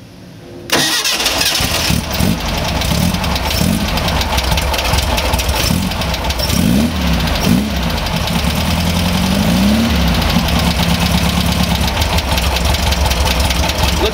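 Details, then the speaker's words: Air-cooled VW bus engine on its first start after a fresh rebuild, with new dual carbs, MSD ignition and timing already set: cranks and catches quickly, then settles into a slow, slightly uneven idle; running but idling low, carbs need balancing. "carburetors need to be balanced a little bit idling a little bit low but it looks like our original settings were really good to get us close again"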